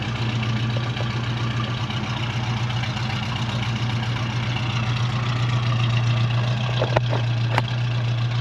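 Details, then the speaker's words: 1970 Ford Mustang V8 with power steering and brakes, just started, oil pressure rising, alternator working: deep steady idle with an even unbroken beat, no knocks or ticks; runs smooth, normal idle. "This thing runs really good, nice and smooth. As you can see, it's not making any kind of crazy noises. It sounds good."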